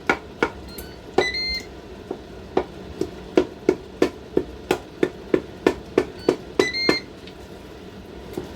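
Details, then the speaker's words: Ninja 15-in-1 pressure cooker in sauté mode, the saute setting being turned down while tomatoes are chopped with a wooden spoon: two short high beep bursts over chopping knocks; normal control-panel confirmation beep. "A beeping you can hear is just where I have turned the saute function down slightly."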